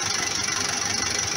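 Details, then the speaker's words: Massey Ferguson 440 Xtra tractor, Brazilian-built naturally aspirated Perkins diesel, 82 hp; quick sharp metallic tapping over idle, persisting after valve clearance adjustment and redone injectors; loss of power, unsteady rev counter. "وفي هذا الصوت طرق اللي تسمع فيه عمل نقص بالقوة تاعو، مولاش قادر مولاش يمشي مليح"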